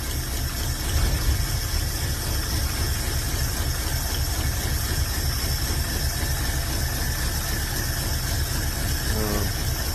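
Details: Carbureted engine after a new carb still runs poorly; lumpy, uneven idle with light ticking about four times a second while plug wires are pulled one by one; one cylinder seems to misfire; plugs rusty, one oil-wet; suspected, not confirmed.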